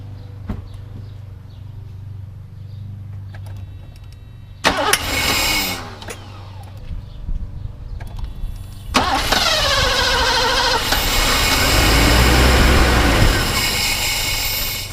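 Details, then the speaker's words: Mercedes W126 560SEL with suspect uncalibrated fuel distributor, injectors reconnected, cold-start valve unplugged; starter cranks several seconds in bursts before engine catches and flares unevenly, long cranking hard start. "So it obviously probably won't start right away, so I will have to crank it for a little bit longer. It will misfire, but it is what it is."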